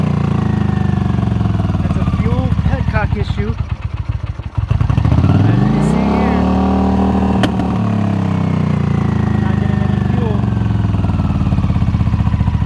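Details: Honda CX650 motorcycle that would not start, after fixing a petcock fuel issue, priming the carb and jumping the starter solenoid in neutral: cranks, catches and revs up freely, then settles into a steady even beat; starts and runs normally now.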